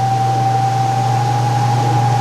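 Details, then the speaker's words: Speed Queen top-load laundromat washer not run for a few days: steady high-pitched squeal over low motor hum while running, drum bearing getting ready to fail; may or may not work itself out. "Now you hear that high-pitched squeal? That is the bearing getting ready to go out in the future."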